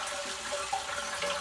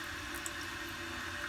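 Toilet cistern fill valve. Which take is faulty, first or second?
first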